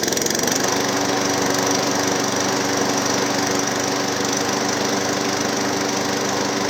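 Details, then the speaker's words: Hayter Harrier 56 Pro mower running: uneven knocking, about four a second, over the engine drone; spark plug and blade bolt tight, wouldn't start without carb spray (dirty carb or auto choke suspected); source unclear. "so let's see if it runs [Music] yeah definitely some kind of knocking interesting"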